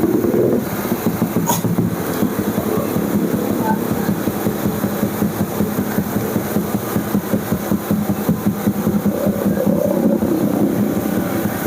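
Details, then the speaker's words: Honda Vario carburetor scooter, charging checked at 14 V; fast, steady single-cylinder idle that never settles or hunts; idle speed set too high. "Sudah standby di 14 tuh. Ini karena langsamnya tinggi."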